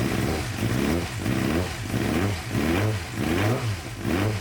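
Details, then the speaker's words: Suzuki GSX-R 600, believed to be a 2007, that sat outside for months, warming up with airbox off: repeated throttle blips that sag before recovering, still dying when throttled though better than before; owner suspects clogged injectors. "but it is kind of dying still when i gas it uh but way better than last time it's not completely dying like it was"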